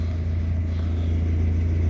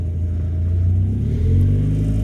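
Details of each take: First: 1991 Mazda MX-5 first edition: deep, steady engine hum with a fast, loud buzzing rattle around 2,000 rpm from under the dashboard, traced to the upper of two coolant lines vibrating and knocking there. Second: 1991 Mazda MX-5 first edition: engine revs up and holds a steady drone with no dashboard rattle while two lines behind the dash are held together by hand; music plays over it.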